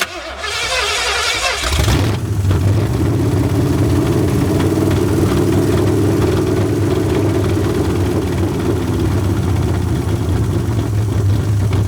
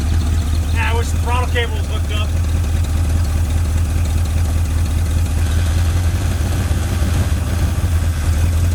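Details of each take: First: Long-sitting 1981 Ford Mustang 5.0 V8, carbureted, fuel pump bypassed with a pump feeding the carburetor: short crank, then lumpy, uneven idle with irregular low throb; owner suspects a fouled plug holding heat; better than before. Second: 1981 Ford Mustang 5.0 V8 revived after sitting. A steady V8 burble at a fast-ish, even idle with no knocks or stumbles; the owner suspects the high idle is due to ignition timing. Normal, healthy idle.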